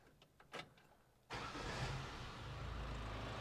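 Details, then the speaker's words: 1973 Toyota Hilux, back running after 20 years off the road, just after an exhaust rebuild: brief crank, then a steady, even run with no puffing or ticking from the exhaust, much quieter now; owner thinks the valves may need adjusting. "oh oh my goodness so much quieter it sounds so much better"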